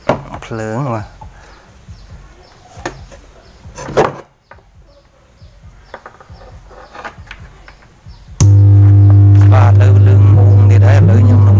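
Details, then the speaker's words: Bluetooth speaker amplifier fault: loud constant low hum from the woofer when powered, as the amp IC is shorted, putting -15 V on output pin 4 to the speaker (pin 3 -18 V, pin 5 +21 V); IC to be replaced. "អញ្ចឹងមានន័យថា IC ហ្នឹងភ្លើងវាឆ្លងដោយសារវាឆ្លងមកចូលទៅជើងទី4វានេះបាទចូលទៅខាង speaker របស់វាហ្នឹងមាន15 វ៉ុលដកបាទអញ្ចឹងវាធ្វើឲ្យ speaker ហ្នឹងឮសំឡេងងូងបាទ"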